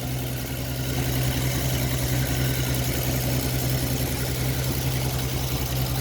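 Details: Ford XP Falcon six, revived after about 35 years sitting, carburettor bowl hand-primed with no fuel line connected: steady, even low rumble with no knocks or misses, normal idle until it runs out of fuel.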